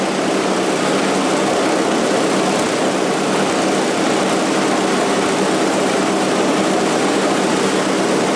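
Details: Scrap-heap snowblower after its sludge-filled carburetor was cleaned and the jet flushed with carb cleaner: a steady, even high-pitched buzz from a small single-cylinder holding speed, with no misses or knocks. It runs smoothly.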